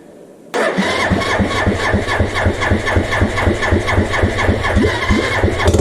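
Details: Suzuki GN250 single during reassembly, first start with mock-up wiring: it catches at once and settles into a steady thump of about four beats a second with no knocks; it runs fine.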